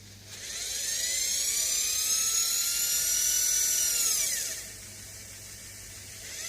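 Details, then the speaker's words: Converted washing machine motor on 24 V AC supply rectified to DC by diodes, low-speed setting: thin high whine winds up, holds steady, then drops away; motor spins but is weak. "So this motor is high, 3,000, the motor is weak anyway."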